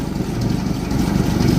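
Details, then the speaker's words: 1964 EH Holden Ute running on dirty fuel through an inline filter: steady even low idle rumble, no misses or stumbles, exhaust from muffler, no smoke, no fuel leaks; normal idle. "All right. Have noise coming out the muffler. No smoke. Fuels all going through. We've got no fuel leaks."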